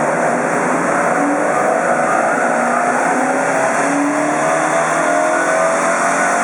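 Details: Celica T20 4AGE 20V Blacktop, 1,700 miles after rebuild, stock exhaust with cat, C52 gearbox, first dyno run, 122 wheel hp: clean, strong note climbing steadily through a full-throttle pull, no knocks or misses; healthy.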